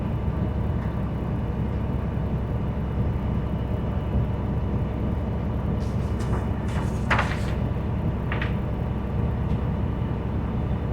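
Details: School bus diesel at high idle during the air gauge governor cutoff check, building air to 120–140 psi; steady rumble with short airy hiss bursts near the end. Normal pressure build-up to governor cutoff, gauges reached 120–140.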